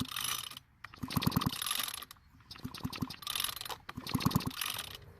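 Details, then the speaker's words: Rare John Deere string trimmer from a garage sale that won't start; short bursts of ratcheting rope pulls with quick clicks and no firing, no spark at the plug even with threads grounded, ignition coil next suspect; cranks but no start. "still don't have spark at the plug so the next thing is to check the ignition coil"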